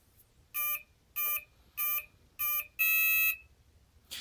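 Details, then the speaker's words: FMS FW 190 model plane ESC on power-up: four short low beeps and one longer beep, pitched lower than usual; motor clicks and twitches when spooled; owner suspects bad ESC or motor. "and there's the unusual usually it has has a higher pitched noise out for that"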